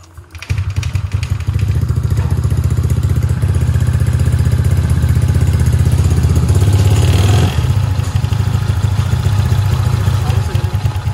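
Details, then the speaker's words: Honda Vario 150 scooter after repair of a broken cylinder head with a custom 59 mm piston, cam chain not replaced: deep, even putter with no knocks; normal idle, though chain noise may appear when hot. "Nah udah dengar suara tadi alhamdulillahnya ini alus guys jadi aman"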